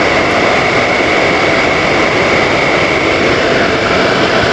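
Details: Indoor AC fan motor still running at full speed after switching off, flap closed, following a mechanic turning the blower backward during service: loud even rushing roar with a faint steady whistle.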